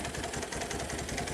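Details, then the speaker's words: 1986 Kawasaki KLT185 three-wheeler, long-sitting, revived: single-cylinder idle with an uneven, loping thump about every fifth of a second; rough running, owner suspects a partially stuck choke or a worn-out carburetor. "I don't know the choke might be stuck partially I don't know yep carburator is probably shot"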